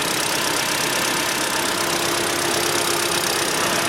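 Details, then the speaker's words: Cold engine at only 10°C, 58,559 km, idling evenly with a light steady valvetrain hiss and no tapping; owner reports hydraulic lifter knock appears only when hot, runs on ZIC 5W-30 oil. Normal cold idle. "появился стук гидрокомпенсаторов на горячую так как сейчас двигатель холодный работает без каких-либо посторонних шумов"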